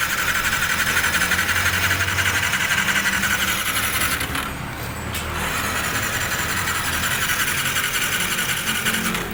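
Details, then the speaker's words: Sniper 155 that won't start, engine check light on, fairings removed: starter spins fast and even about three turns a second with no compression load; possible loss of compression. "Ayun kung narinig niyo siguro yung starter niyo dire-diretso isang pala tandaan na kung saan pwedeng ang sira nito loose compression"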